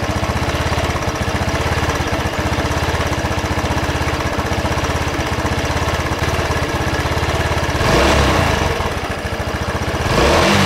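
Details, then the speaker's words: Racer Salut MT50QT-19b1 scooter with a 139QMB engine, no oil on the dipstick and smoking: low, uneven, slightly lumpy idle with wandering revs; it won't hold low idle. "а вот слышите Да както плавают обороты как-то вообще странно"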